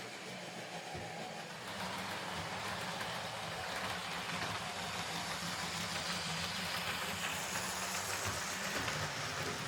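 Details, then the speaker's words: Hornby R2558 County Class OO model locomotive after a new drive gear and blanking plate: steady, even motor whir with no repeating click and cleanly meshing gears; normal running, though the cheap motor sounds unpleasant. "Um, I don't like the sound it makes, but it's just that cheap, nasty, horrible motor."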